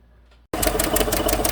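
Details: 2015 GMC Sierra 1500 Denali 6.2L V8: sharp, even ticking about six to seven per second over a rough idle, louder on the passenger side. Valvetrain tick traced to a bent, broken number 6 intake pushrod.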